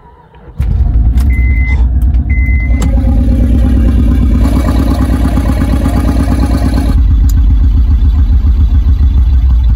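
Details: 2006 first-gen Honda Pilot, very used, also stalling. Plugs and coils just replaced, yet lumpy, uneven idle with loud low chuff and irregular stumbles: still misfiring, plus exhaust leak near the manifold. Owner suspects clogged intake manifold passageways; cause unconfirmed.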